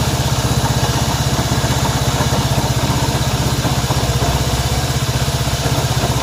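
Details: Honda CB190R single-cylinder engine idling steadily around four beats a second with an odd tapping mixed into the exhaust pulse; strange engine noise, origin not yet found.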